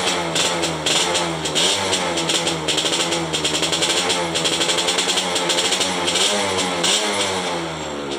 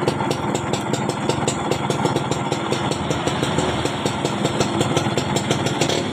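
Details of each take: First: Yamaha F1ZR two-stroke, 2004, which would not stop with the key off; after the broken black ground (negative) wire was reconnected it revs up, idles, then dies cleanly when switched off: normal running and shutdown after repair. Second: 2004 Yamaha F1ZR two-stroke motorcycle keeps idling evenly after the key is turned off, with no die-off.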